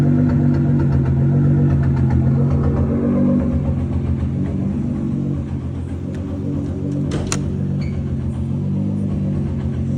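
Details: Nissan GT-R R35 at 26,000 miles, idling in park: steady low rumble with a faint irregular tap or skip about four times a second from the exhaust. This is the first odd noise, which sounds like tapping or a miss.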